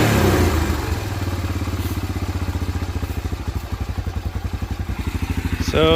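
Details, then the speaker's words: 1987 Honda TRX250 Fourtrax single, sat about ten years, running after carb cleaning on a temporary gas tank; even, steady putter at low idle with a quick throttle blip; runs clean. "seems to fix the problem turn like a kitten now"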